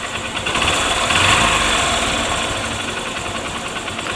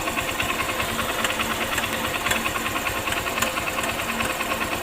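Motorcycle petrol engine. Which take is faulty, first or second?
second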